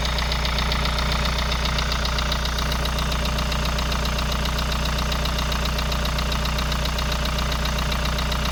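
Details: Kia Sorento Prime 2.0 on a cold start: a steady, sharp, regular knock about two and a half times a second over the cold idle; cause undetermined.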